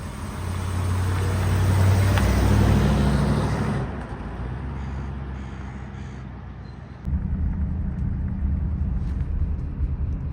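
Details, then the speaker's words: 1955 Buick that often stalled, after securing a loose clip with pliers; after a quiet stretch the engine catches promptly and settles into a steady, even low idle; starts easily. "car has no problem starting up"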